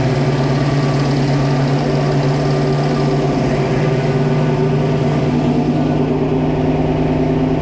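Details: 1966 Mustang Fastback, new 347 stroker V8 with T5, on first start: an even V8 burble that stays high and busy at idle, easing slightly later. The idle is set too fast and the carburettor throttle/idle screws need adjusting.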